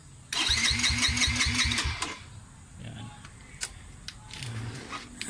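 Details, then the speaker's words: Long-stored motorcycle with newly replaced starter: about seven rapid cranking chugs a second for under two seconds, stopping without catching; hard start. "mamaya ngayon mga sir e check ko yung karburador niya kung ano ah anong problema kasi hard start siya"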